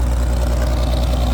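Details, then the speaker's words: Old tractor just started on full choke with camper-battery jump after slow cranking, not flooded after all; deep, steady low thump at an even pace, no misfire or knock; idles normally. "I went full choke. I guess it really wasn't flooded, but I went full choke and it fired right up."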